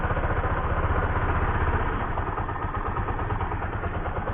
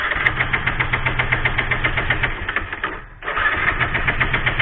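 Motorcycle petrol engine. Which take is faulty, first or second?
second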